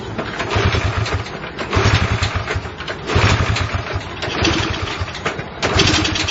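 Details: Honda CL70 single with idle set higher than before: revs rise and sag unevenly, catching then bogging as the throttle opens, an off-idle dead spot. Jets tried before at 73 to 75 and 38 to 40; lean mixture suspected.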